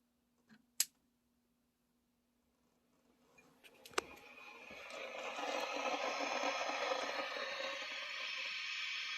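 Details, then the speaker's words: 1996 Peavey 5150 2x12 tube combo guitar amp, standby switched on with all tubes glowing: sharp pops, then a steady hissing crackle of static; it happens at every standby flip, with or without a cable plugged in. "Yeah, you hear that? Real staticky. Hear some popping, whatnot."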